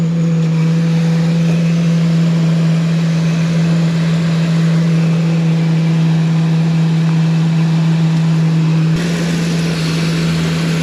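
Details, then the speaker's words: 2002 Ford E-250 van, first start after engine reassembly and coolant flush: steady idle with an odd low constant drone under the engine note, changing slightly near the end; owner unsure of cause. "I don't know why it's making that noise. I wonder if that's just I don't know."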